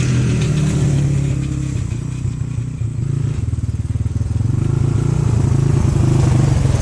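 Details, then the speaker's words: 1997 XR200R after 10+ years stored: single-cylinder thump loping and surging about four beats a second instead of steady idle; runs rough, owner suspects goofy mixture and could benefit from new spark plug. "i think you could benefit from a new plug and the mixture is a little goofy but uh she works been sitting for 10 years probably more"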